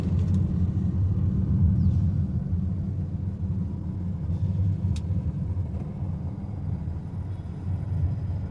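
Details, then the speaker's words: Honda Amaze driven over holes after suspension and steering noise repair with new parts: only steady low road rumble, no clunks or knocks from the front end; suspension now quiet. "देखना हमारी car में किसी प्रकार का कोई आवाज नहीं है।"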